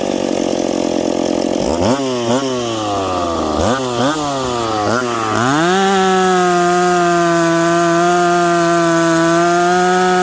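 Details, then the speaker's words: Stock, unpiped McCulloch Pro Mac 850 chainsaw cutting hard dried cottonwood before teardown: snaps up quickly in pitch, dips briefly into each cut, then holds a strong steady high scream; pulls cleanly, normal under load. "it's got crack and it's got pull it it revs up smoothly and quickly and friends this stuff is hard"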